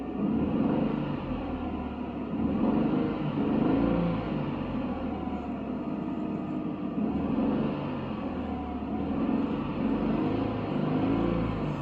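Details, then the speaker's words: 2015 Kia Sorento V6, second opinion from another shop, cranks very long and smokes heavily: lumpy uneven idle surging and stumbling, severe misfire; mechanic suspects it needs a long block, cylinders not yet scanned, cause unconfirmed. "so this car is misfiring like crazy right now i could feel it"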